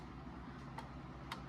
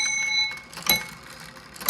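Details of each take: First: 1830s Ephraim Downs pillar-and-splat shelf clock, wooden works, unserviced, runs about 5 minutes: soft ticks with unequal tick-tock gaps, uneven cadence; out of beat, fixable by slightly bending the rod; dry bushings suspected. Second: 1830s Ephraim Downs pillar-and-splat wooden-works shelf clock, bell strike triggered by pulling string and rod: three clear, bright bell strikes about a second apart, fading evenly; chime works properly.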